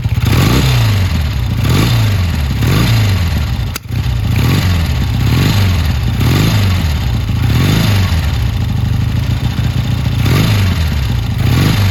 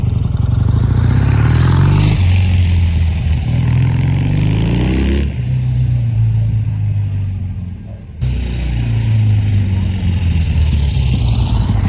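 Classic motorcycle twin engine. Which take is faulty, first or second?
first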